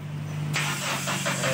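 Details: Toyota that won't start, run weekly, fuel filter has fuel: starter whirs steadily with rhythmic cranking pulses but the engine never catches.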